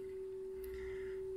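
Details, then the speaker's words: Serviced 1975 Nakamichi 600 cassette deck playing a 400 Hz sine test tone through a Topaz AM10 amplifier and Mission 774 speakers; clean, steady pitch with only slight, barely audible variation; tape transport running properly. "how does that sound there is just a little bit of variation there"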